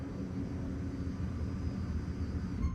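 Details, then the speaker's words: 1969 Plymouth Valiant, 360 Magnum with FiTech EFI, newly installed Walbro 470 in-tank pump with Holley system, key on: low steady quiet hum for a few seconds, then cuts off cleanly; pump primes and stops once pressure builds. "that's quieter it's a lot quieter i don't even know if you guys could hear that and it did shut off on its own all right there's the pump on"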